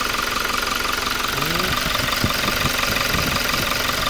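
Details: Toyota Revo diesel, about 140,000 km, after intake manifold and engine bay cleaning: even diesel clatter at idle, steady rhythm with no misses or hunting; the engine is idling normally.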